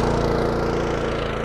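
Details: Honda small engine with automatic choke on a 151 dry washer blower, throttle set mid, just after starting: steady even drone with smooth firing beat, no surging or sputter; healthy running.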